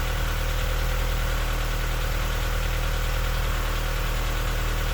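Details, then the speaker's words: K-swapped Honda Civic, idle air control valve disconnected and coolant line looped, now holding idle: steady idle with a light, regular tapping underneath at roughly three or four per second; a new knock that was not there before, cause not yet found. "i think that sounds a little knocky but it idles now"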